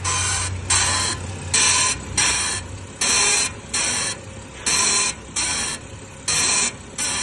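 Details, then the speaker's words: BMW front end creaking when turning: sharp, raspy creaks as the wheel is turned side to side, heard loudest by stethoscope at a worn ball joint with rust coming from behind its boot. "With the stethoscope, you can really hear it resonating out of that one there."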